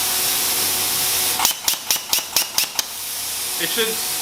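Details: New plasma cutter on a weak garage outlet sharing a line with 15 other circuits; steady air hiss with about seven sharp crackling pops, then the arc dies and only air hisses. Owner suspects inadequate power: arc not sustaining.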